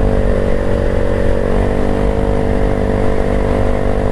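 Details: Yamaha Mio i125 scooter that backfired because of a clogged airbox, now fixed, along with an oil change and a knuckle bearing replacement: a smooth, even engine note holding steady with no pops or bangs. Normal rev, no backfire.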